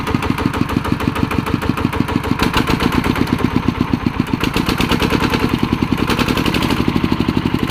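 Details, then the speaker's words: ET110 single-cylinder diesel after a rebuild with a reground crankshaft runs steady and even at idle with no knock or miss; the earlier white smoke trailing on acceleration is gone. Normal running. "อ่าอาการที่เร่งแล้วควันไหลพอดพอดๆๆไปนั่นน่ะหายแล้วครับ"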